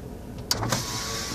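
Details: 2000 Dodge Caravan wheelchair-accessible van, passenger power window: short click, then smooth steady motor whine as the glass travels, no grinding or binding; working normally.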